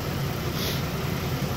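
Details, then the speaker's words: 2012 Mazda 6s 3.7 V6 Duratec after water pump replacement and full timing chain service, running about half an hour with the cooling system bled. Earlier grinding came from air in the power steering. Steady, even, smooth idle with no knocks or ticks. Normal idle. "revved it up a bunch of times everything sounds good"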